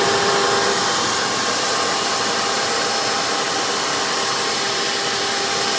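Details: Hoover PowerMax II U5246-940 upright vacuum (2002), direct-air, 12 amp motor with 20-blade fan, after motor work, running on the hose with tools: steady airy roar with constant motor whine, no surging, rattles or scraping. Normal running.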